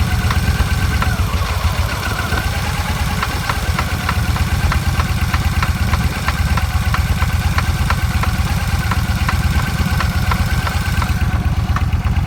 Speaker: the noise from the front wheel. Sounds like the bearings.